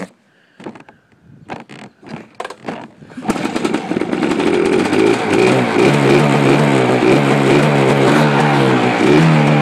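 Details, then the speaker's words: 1987 Suzuki LT500R Quadzilla two-stroke, idle screw not set, started on quick-start spray. A few kicks and sputters, then it catches and revs high and raspy, hunting unevenly with a good amount of smoke. Rough running on starting fluid. "good amount of smoke but it running that's actually the longest I ever heard it run"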